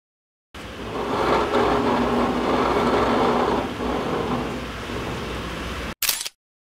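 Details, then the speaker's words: 2016 Honda Click 125 scooter drivetrain running smooth and quiet, whir rising and easing with engine speed, no grinding; driven face bearing noise was fixed by filling it with grease. "Je n'entends aucun bruit. Il n'y a rien de mal avec la mission."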